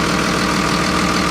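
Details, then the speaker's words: 24-valve Cummins diesel with Allison transmission in a Freightliner MT45 step van bought listed as non-running, heard with engine cover off. Even, steady idle with smooth rumble, turbo audible, no knocks or misses. Normal idle, healthy. "That sounds like a solid Cummins, baby. Listen how good that thing purrs. There's your turbo right there. She sounds healthy."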